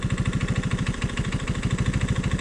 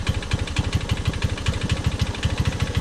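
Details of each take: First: Old Honda ATC185 three-wheeler, single cylinder: an uneven, lumpy, loping idle, the best it can be set. It shifts and starts fine; the mixture screw is being tuned toward about 2¼ turns out (spec 1.5) and the idle screw spec is 2.5. Rough idle. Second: Honda ATC185 single-cylinder after carburetor fuel mixture screw set 2.5 turns out: steady thump at idle, then picks up and holds a higher speed without stumbling; runs fine, normal idle.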